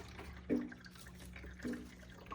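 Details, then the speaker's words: AeroGarden Bounty hydroponic unit: after reconnecting its long-unplugged pump and refilling low water, faint steady low hum under trickling and dripping; pump pulling water and circulating normally. "is definitely pulling water from this. Wonderful. So now the lettuce is getting watered again."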